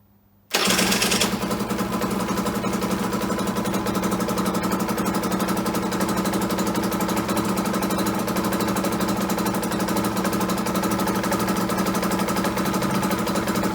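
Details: Aprilia small two-stroke cold start on non-ethanol fuel after holding a couple of seconds for the heating element, in a noisy garage: fires at once, settles into a steady, even, crisp rapid idle with no misses; healthy cold start.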